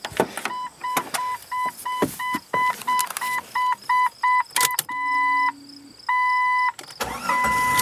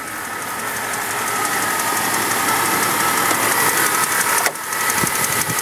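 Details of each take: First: Jeep 4.0-litre inline six with 143,000 miles: door chimes, a short starter whirr, then it catches and settles into an even idle. Clean start; a ticking is present, which the owner suspects is the cam position sensor. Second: Jeep with a 4.0 L straight-six at 143,000 miles, idling, mic in the engine bay. Light fast tick about three per second under a loud hum. Owner suspects the small gray cam position sensor, reportedly replaced recently; unconfirmed.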